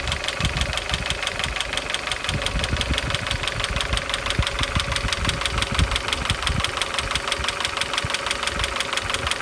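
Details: Opel X20XEV engine knocking when cold and hot; sharp regular metallic ticking about three per second over a steady idle, from inside the engine, cause unclear.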